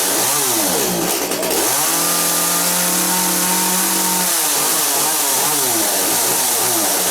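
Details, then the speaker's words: Chainsaw in for repair, test-run after work with chain brake locked, much better: two-stroke revs up and drops back cleanly, then holds steady even pitch with crisp pickup; running smoothly. "Fire him up here and just make sure that he's still good still. Oh, that's a lot better now."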